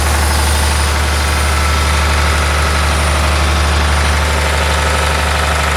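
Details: John Deere 850J dozer diesel after second rebuild, run outside: steady, even idle with smooth low rumble, no knocks or misses; no leaks, all normal.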